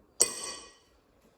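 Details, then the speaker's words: Ford/New Holland tractor front hub, new bearing: single sharp hammer strike with a clean high ring that dies quickly and a bounce-off, the different note showing the bearing is seated square on the housing. "You can hear a different note to it, and the hammer bounces off."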